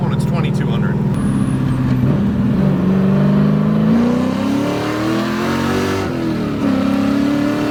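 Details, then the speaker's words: 1994 BMW E36 with LS1 V8 swap and replacement T56 Magnum gearbox, straight-pipe exhaust, test drive: pulls smoothly, drops cleanly at each shift, downshifts perfectly, no grinding or whine; fault was the old rebuilt transmission, not the clutch or throwout bearing. "so far so good feels perfect downshifted perfectly yes sir I'm going to call that fixed"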